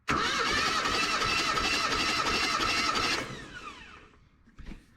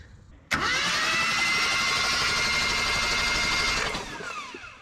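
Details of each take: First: Old truck with 179,000 miles, last tagged 2005, during a compression test: even starter chug at about four beats a second for three seconds. Readings around 150–180 psi across cylinders; compression is good and even, possibly helped by oil in the cylinders. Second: Old truck with points ignition, cranked with a jumper wire to the coil after cleaning the worn points: the starter spins steadily for about three seconds without catching. A no-start from a super weak spark.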